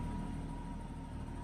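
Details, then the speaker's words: 1989 BMW E30 325i six-cylinder cold start after sitting several days: brief dip and stutter at startup, then low even rumble at about 600 rpm; owner says rough idle problem occurs only when warm. Normal cold-start idle. "is relatively stable so that's good there was a little bit of a when I first started it it just dropped a little bit and did a bit of a stutter but so far so good and this is fine"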